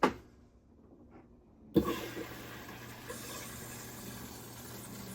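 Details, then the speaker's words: Maytag MVWB765FW2 top-load washer after replacing the faulty water inlet valve, normal wash cycle: soft click, then a steady rush of pouring water over a low hum; fills normally, confirming the old valve was the fault. "Success. You can hear the water, you can see the water pouring into the washer."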